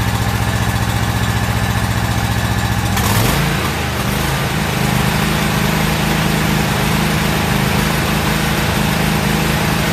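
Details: About a year old commercial Toro zero-turn mower, twin engine, with new spark plugs: uneven loping putter that steadies into a fuller beat once the choke is pulled out slightly for extra fuel, but it still isn't running quite clean.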